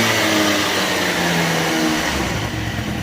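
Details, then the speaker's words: 1987 Honda Elite 50S, AF05E two-stroke, with a Malossi 65 cc big bore kit, same exhaust: loud, raspy buzz held at high revs with a deeper, throatier edge; healthy, now reaches 45 and gets there quicker. "it's definitely more Rohde now it's got a little bit it's the same exhaust but you can just hear the difference it's a little bit I don't know what other word you use besides throaty but definitely sounds a little different"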